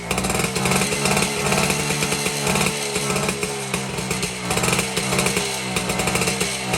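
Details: 1952 BSA D1 Bantam two-stroke engine on a test rig, first start in over two years after storage, carburetor tickled to start; buzzy crackle revving up and dropping back unevenly while warming, no knocks; normal running.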